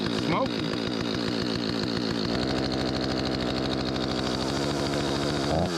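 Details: Stihl 025 chainsaw before repair, choked and low on fuel, while trying to recreate its hot no-start: uneven idle burble, then rough rich revs, fueling trouble, flooding from a stiffened carburetor diaphragm.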